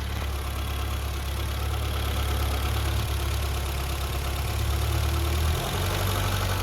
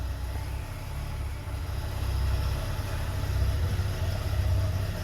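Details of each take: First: 1982 BMW 320i (E21) with 253,000 miles, after new Delphi FE0484 in-tank fuel pump, tanks and fuel line reinstalled, cleaned injectors, fixed vacuum leak, cleaned idle air valve: engine settles from a brief rev to an even, smooth idle, no knocks or misses; normal. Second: 1982 BMW 320i warming up after fuel system rework: low idle slowing as it warms, which is expected, but sagging and surging unevenly with an irregular stumble; stuttering rough idle when warm.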